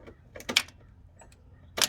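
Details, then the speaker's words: John Deere 4410 tractor, three-cylinder 55 hp, no-start after stalling, with gel clogging the fuel system: a couple of crisp clicks at key-on with nothing running; the fuel shutoff solenoid is pulling in properly. "so once we put the key on the opposition you can hear that click"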